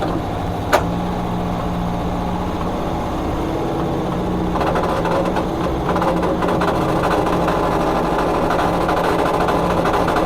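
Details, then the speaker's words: 1972 VW Super Beetle air-cooled engine, sat 30+ years, transmission fluid was sludge and was replaced: uneven idle, then a rougher rattling growl joins as it goes into gear; transmission noise in gear, cause unknown. "Originally, the transmission fluid was like sludge when I took it out. So whenever I put it in gear, it'll sound like this."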